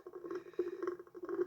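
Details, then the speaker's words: Irwin 42 boat, holding tank being pumped out: irregular wet gurgles and bubbling bursts as air is sucked back through the head; the owner guesses the tank vent is clogged. "but I'm guessing that the vent for the tank is clogged if it's sucking air through the head"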